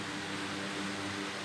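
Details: Old oscillating ceiling fan, restored after a cut power cord and missing blade, with blade and cord replaced: steady even whoosh of air and smooth motor hum, no knocks or rubbing; running strong and healthy.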